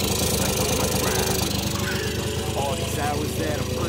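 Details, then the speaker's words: No-name 50cc ATV engine running after a second top-end rebuild: rough, uneven buzz with a ragged tapping undertone, banging; a dropped piston pin circlip apparently got into the engine and damaged the top end again. "bang bang bang something doesn't sound right though and little bit I know this would not be the end"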